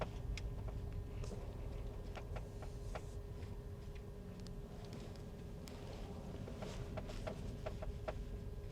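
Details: 2023 Tesla Model X Plaid at about 10,000 miles: scattered, unevenly spaced sharp clicks over a quiet hum while creeping and steering at low speed. It is an ongoing, recurring noise also seen on the owner's previous Model X; the source is not pinned down.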